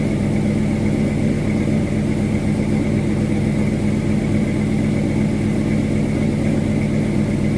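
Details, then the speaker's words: 1979 Dodge Little Red Express Mopar V8 with new engine, first test drive, hot idle about 185° and 50 psi oil pressure: faint quick puffing tick on each firing pulse from an exhaust leak at the header gasket. "You can hear a little bit of our exhaust leak over here."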